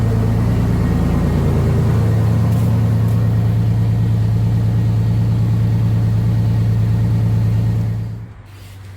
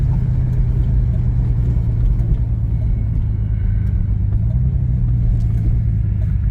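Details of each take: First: 1989 Pontiac Grand Prix Turbo McLaren at idle after new spark plugs (old plugs oily, original wires kept): steady even idle with smooth pulse, no stumble or hunting, then shuts off; prior hunting possibly from misfire. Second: 1989 Pontiac Grand Prix Turbo McLaren on road test after spark plug change, won't shift: steady low drone that breaks up with any throttle; suspected misfire under load, cause not determined.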